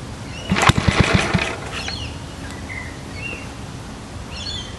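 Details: Restored Villiers Mk 12 engine driving a restored IBC Perry water pump on a homemade base with manual throttle, started first pull after flooding the carb: short firing burst settles into soft, even low chug; runs cleanly.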